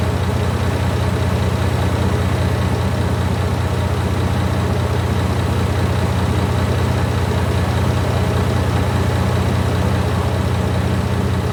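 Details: Barn-find Leyland Atlantean double-decker bus diesel, one of two stored in a barn (one since the 1990s), first run after revival. The heavy diesel settles into a steady, even idle of about three beats a second with no knocks or misses; normal idle.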